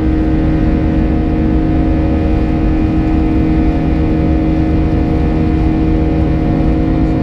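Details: United Airlines A320 climbing out of Houston IAH for NYC LaGuardia, recorded in the cabin: the classic buzz-saw engine sound with a steady high-pitched droning tone from 1:33 until level-off; cause unknown, and the uploader heard it once before in an exit row.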